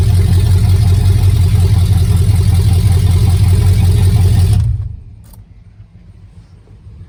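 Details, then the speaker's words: Truck with a new healthy engine and old transmission, inching along under its own power through open headers: loud, deep, even exhaust rumble, then a clean shutoff. Normal running. "You will probably not be able to hear me over the sound of the open headers when I'm in the truck"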